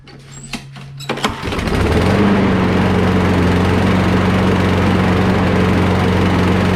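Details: Free curbside Craftsman push mower after carburetor cleaning, air box refitted: a few cord pulls, then catches and settles into even steady beat without surging.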